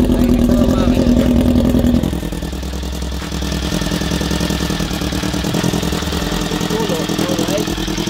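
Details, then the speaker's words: Honda CB-1 400 motorcycle engine just started after cam/head work and gasket replaced with a thick gasket plus sealant to stop an oil leak: catches and settles to steady even idle, no top-end tapping or rattle; normal idle. "Mukhang okay naman. Pinandar ko na. Sana."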